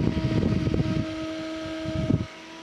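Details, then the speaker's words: Sunon cooling fan from a Linksys EF2124 24-port switch, long in service, run on a bench supply: steady mid-pitched whine with a higher overtone and early bumping. Noisy, worn fan suspected. "but you can kind of hear it this one apparently has been in service for a while as you can [Music] tell"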